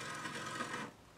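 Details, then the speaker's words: Garrard RC 120 Mk2 turntable being serviced, deck propped up and switched on: brief harsh scraping rasp for just under a second as the motor catches on startup, then it settles quiet; just the motor. "That doesn't sound very good, but it's just a motor. That was just a motor, that catching."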